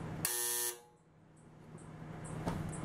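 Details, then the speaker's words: Brown-top Kenmore dryer that won't start, switched to the off position during timer troubleshooting: a short, steady, raspy buzz lasting about half a second, then quiet. The buzzer works normally. "now the dryer is in the off position so we're just going to hear the buzzer"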